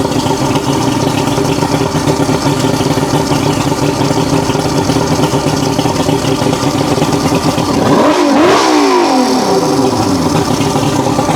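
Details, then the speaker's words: Roughly 40-year-old 1980s Mercury 150HP Black Max V6 two-stroke outboard after repair work (fuel pump suspected bleeding into block): steady even drone, then revs up cleanly and drops back without stumbling; runs normally. ">> That sounds a lot better."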